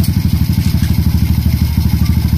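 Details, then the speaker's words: Honda RS 125 after top overhaul, idling with the idle screw being lowered slightly: even, steady idle thump with no knock or tapping. The earlier lagutok (engine knock) is gone and the engine now runs quiet. "Okay, wala na yung lagutok mga kaduit, oh. Tahimik na siya."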